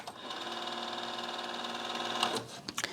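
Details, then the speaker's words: Nakamichi LX-3 cassette deck, unused until recently, during fast forward/rewind: high mechanical whir with a steady pulsing knock; owner suspects the idler, not confirmed. "everything working but this knocking noise that is coming from this vicinity and I think is The Idler but again uh it could be something else"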